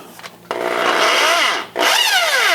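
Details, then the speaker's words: Ridgid R3002 orbital reciprocating saw: motor spins up to a steady high whine but the reciprocating blade end doesn't move in either mode; gears turning inside but drive not engaged, stripped gear drive. "so you can see that the motor is running but the reciprocating end is not looks like it's moving some gears inside but the motor is not driving it"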